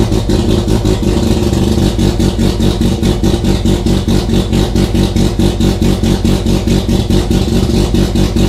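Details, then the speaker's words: Mazda RX-7 FC3S rotary with FC3S BAC valve on a Haltech Elite 1500 ECU, stall offset 500: loud busy idle revving up with rapid even pulsing, about two beats a second, from the untuned idle air control valve. "Okay, so you can still hear the idle air control valve pulsing, so I'm going to go ahead and shut off the ECU for now. What we do know is that that immediately allowed us to start up and maintain an idle, but it was revving up."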